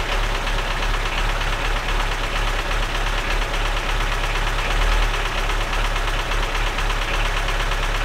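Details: Lada Niva that had sat and would not start, run on a jump from another car's battery: loud, irregular low thumping idle with constant clatter that never settles into an even beat, tractor-like; misfire, rough running, cause unknown.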